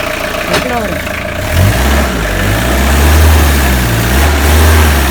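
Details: Tata Sumo direct-injection diesel cold start after long standing, injectors bled of air: catches after a second and settles into a steady, even low idle with no misses or knocks.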